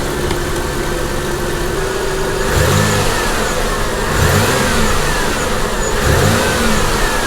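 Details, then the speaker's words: Copart salvage car with 163,000 miles, just started with engine light on and low coolant: idle with three quick throttle blips, revs rise and fall cleanly with no knock; engine sounds healthy, though some smoke suggests a leak. "Alright, sounds pretty good. We do have a little bit of smoking right here, so we gotta have a leak of some type."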